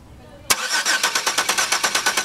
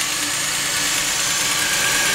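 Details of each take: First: 2002 Chevy Venture 3.4 cranking, good spark but no injector pulse from module: starter cranks evenly at about three turns a second but engine never catches; crank no start, no injector pulse. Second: 2002 Chevy Venture 3.4 running after a no-start/no-injector-pulse fix with a new sensor connected: smooth, even idle with steady light ticking and no misses or stumbles; normal idle.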